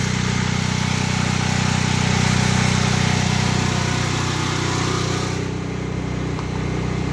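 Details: Predator 8750 generator in a ventilated shed with exhaust fan, full tank of gas, after over two years of use; steady, even engine drone with constant hum and fan rush, no knocks or surging: normal running.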